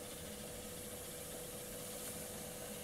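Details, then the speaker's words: Akai GX-650D reel-to-reel deck on rewind and fast forward: quiet, even whirring with a faint steady hum, no scraping or dragging, then a soft clunk at the stop. Normal fast wind. "I'm going to show it to you rewinding, forward fasting, everything like that here right now. So it plays very well."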